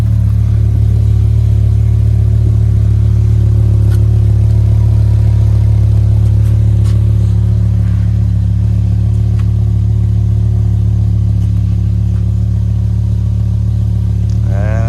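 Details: BMW M6 with 60,000 miles, cold start after sitting all night: deep even engine note held at a high cold idle, steady firing with no knocks or ticks; healthy normal cold start.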